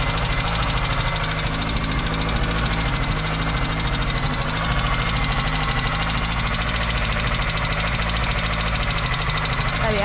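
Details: VW Golf 2 with carburettor, cold start while warming up: fast, uneven light clatter over the cold idle, about three ticks a second; owner rules out injectors and suspects the tappets; unconfirmed.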